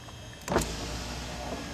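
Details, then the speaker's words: Volvo power window motor running with a short, steady, fairly even whir and no grinding. The window still works normally, but the motor is nearly dead; worn brushes are suspected. "the window works normally, but it won't be for long. That is just about dead."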